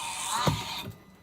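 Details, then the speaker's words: Mercedes B200 W246 front windscreen wiper motor (A2469066000), wipers switched on: short harsh ratcheting grind as wipers start, then dies away; motor or gears suspected failing, replaced with cheaper A-Class A1769061900 motor; wiper motor grinding noise. "it sounds like that the motor is failing or some of the gears on the motor"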